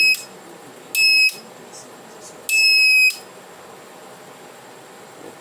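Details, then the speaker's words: Reliable 03 inverter on bench, supply limited to 1 A: after a small snap the oscillator IC smoked; shrill high beeps in uneven third-to-half-second bursts, fault alarm with burnt oscillator IC in first stage. "ó, defeito na primeira etapa, mas é o CI oscilador que tá com defeito."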